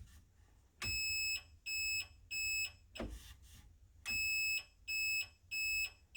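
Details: Renault Spider, which has no indicator self-cancel: a newly installed indicator tell-tale speaker, tested after installation. High-pitched half-second beeps about once a second in time with the flasher. The reminder works as intended.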